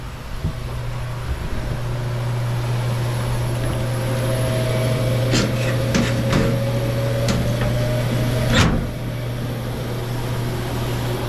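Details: Mobile home HVAC unit after thermostat replacement, cooling switched on: steady low hum with a few light clicks and one sharp knock; runs evenly with no grinding or squeal.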